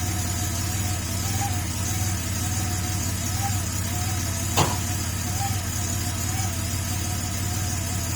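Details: Porsche 930 Turbo, first startup after fitting a RothSport oil inlet check valve meant to stop the smoke cloud on first start after sitting: steady, even idle with smooth low drone and gentle pitch rise and fall, no knocks; normal idle.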